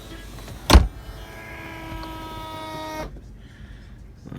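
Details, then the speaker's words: 2004 BMW Z4 E85 convertible top: the pump tank was found bone dry again, likely from a hydraulic hinge leak, and was refilled. The top slams down, and a short two-second pump whine cuts off while air bleeds out. "all right tank was bone dry again so i just filled it let's see if we can get this top working slams down again bleeding out some air"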